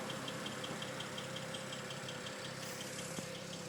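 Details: BMW N54 direct-injection engine at idle: light, fast, even ticking over a quiet, smooth idle. It is normal injector noise, not a fault.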